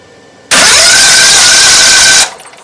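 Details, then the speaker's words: Briggs & Stratton 21 hp V-twin on an LT1000 mower, starter just greased: starter spins with steady high whir under two seconds, engine never fires; spark check shows no spark, cranks but no start; coil later swapped. "It is spark check time. No spark."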